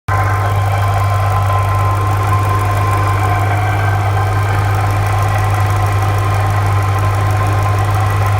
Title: Saleen supercharger rattling noise